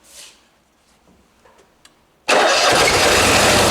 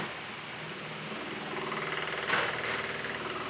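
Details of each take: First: Onan Marquis Gold 5500 generator in a 2003 Fleetwood Bounder RV, after fixing hard-start/stalling problem: quiet, then starter catches and it settles into a steady, even hum with constant pitch; starts and runs healthy. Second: Onan Marquis Gold 5500 generator in a 2003 Fleetwood Bounder 36S RV, breakers off, just after start-up: uneven, stumbling, surging running that smooths out later; hard-start/stalling problem.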